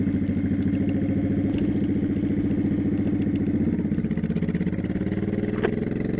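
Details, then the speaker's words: 2002 Honda Shadow Aero 1100 after carb kit (new jets, shims), accelerating from about 35 mph onto highway: even loping V-twin beat quickening steadily, no misses or popping; normal acceleration. "You'll hear that. I mean, it sounds fine. I think it sounds like a normal bike, but we'll see."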